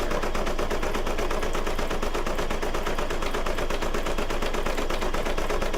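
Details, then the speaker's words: Brother DZ820E embroidery machine stitching an appliqué mug rug after rethreading fixed a bobbin problem: fast, even needle clatter with no skips, slightly clunky through thick layers; stitching normally. "but now that sounds a bit clunky because it's going through a lot, right?"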